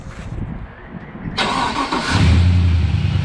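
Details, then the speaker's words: LS1-swapped Nissan Patrol after a wiring fault repair, brief cranking then a clean catch and steady even low rumble; normal engine start. "yes that's good validation all right that's good enough for me it runs"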